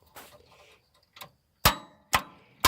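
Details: John Deere tractor in neutral, retested after tightening a connection: three sharp single clicks about half a second apart with no cranking, still not fixed; starter removal comes next.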